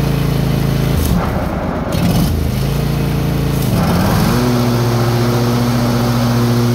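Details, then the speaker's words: Old John Deere riding mower after repairing the mower deck, which had a bad spindle or idler pulleys, funny noise and smoke. Engine changes speed, then settles into a steady even drone with no squeal, grind or rattle; the deck runs normally. "okay that's got that fixed we're ready to get on to do the uh the mowing"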